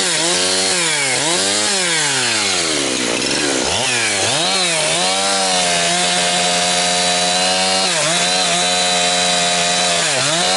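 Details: Husqvarna 362XP Special chainsaw, cutting firewood. It cuts steadily, but the pitch keeps bouncing off a ceiling instead of revving out, around 10,000–10,500 rpm. The wrong ignition coil is rev-limiting it, causing four-stroking and insufficient chain speed.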